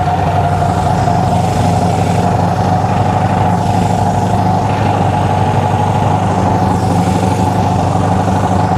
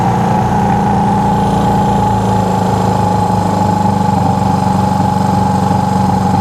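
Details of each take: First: Honda CB360 twin, ignition slightly out of time, idle raised, before timing adjustment: steady but lopsided, lumpy hollow idle, running on only one cylinder. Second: Honda CB360 twin after ignition timing adjustment with timing light; steady, even idle with firm low beat around four per second and constant hum; bike sped up and ran better as timing was set; normal idle.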